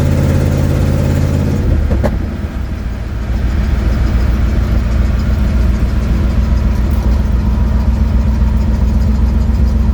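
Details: 1972 Ford Mustang driving home, phone mounted in the dash, leak not yet fixed: heavy low drone that drops briefly, then settles into a rough, pulsing rumble while driving. Exhaust leak.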